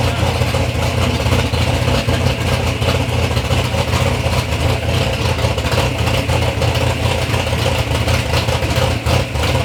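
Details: Third-gen Camaro with big-block Chevy V8, first start-up after years of building: deep, heavy rumble blipping up and settling back, even and strong with no knocks or rattles; normal, healthy revving.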